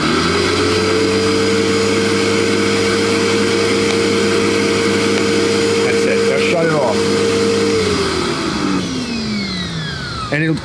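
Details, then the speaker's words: New MrLiance 1000 psi 3.1 gal electric pressure washer on first test: steady mid-pitched motor hum holds even for about eight seconds, then winds down smoothly; it keeps running without sensing pressure, purging the pump, which runs normally. "it'll try to continuously run because what you've done is you've initialized it. It doesn't see the pressure. It's going to keep running."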